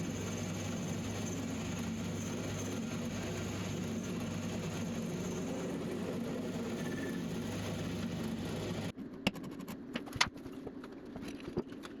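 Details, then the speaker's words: Small, non-rigid lathe turning tough EN19 shaft material for a bent auger repair; rough buzzing drone with a thin high ring on top, stopping after nine seconds; lathe tool chatter. "And it gets particularly bad when running material this size and also of this grade. EN19 is quite tough to machine. So, you will hear a lot of chatter."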